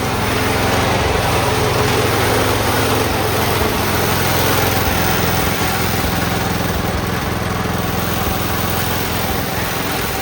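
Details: Cub Cadet 1204 tractor after start-up, having just welded brackets: steady, even putter at constant speed with no knocks or misses; small engine running smoothly and healthy.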